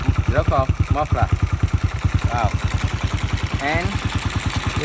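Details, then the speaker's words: 1995 Honda Win 100 single with a fresh rebuild (piston, connecting rod bearing, clutch, gearbox) and a new valve job, local aftermarket muffler: even, steady thumping idle with a mellow exhaust and no knocks. Nice idle after the valve job. "You can see that the engine have a very nice idle speed because of I just done a good valve job."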